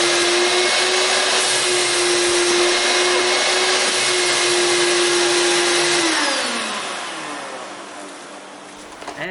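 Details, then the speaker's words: Shop vac after repair (bearings greased, rust cleaned off motor); it had been squealing and smelling hot before. Now a steady, clean motor whine and air rush with good suction, then a smooth spin-down when switched off. "it seems to come on it has good suction it no longer makes That Hideous noise it was making"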